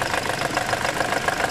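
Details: Toyota Corolla engine idling: quick, even knock about seven per second from the alternator.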